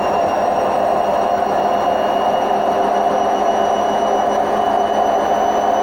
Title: Hotpoint WMF760 spin program with bad bearings May 2018